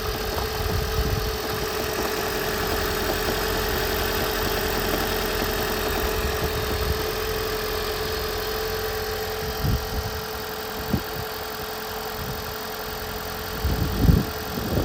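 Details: 2010 Toyota Prius Gen3, 395,000 km, hard start when engine is cool: engine cranks and catches rough with uneven thumps before settling into a shaky idle; head gasket was leaking coolant into cylinder 1, later replaced and engine ran normally.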